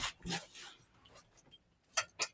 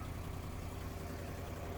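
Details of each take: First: 1973 International 1110 4x4 pickup V8, revived after sitting parked, started with the battery just hooked up: a few quiet clicks and jingles, then it catches at once and settles into a strong, steady run. It has an exhaust leak at the donut, which appears cracked. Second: 1973 International 1110 4x4 pickup revived after sitting in weeds, driving: deep, loud engine rumble with rapid chuffing from an exhaust leak; brakes improved, good oil pressure.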